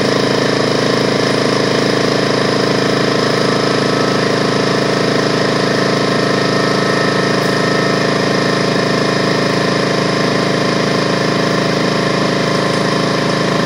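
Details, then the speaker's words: DeWalt 4.5 gallon air compressor after no-start repair; fast even pumping chatter, no missed strokes or knocks, building pressure toward 200 psi cutoff; normal running. "so I'm gonna go ahead and turn it on and so you can hear it working right here"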